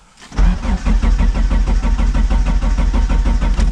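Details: 1999 Dodge Neon with swapped 2.4 turbo SRT-4 engine, out of storage: steady cranking about two beats a second, never catches; crank no start, out of fuel, though fuel smell while priming led them to suspect spark or coil.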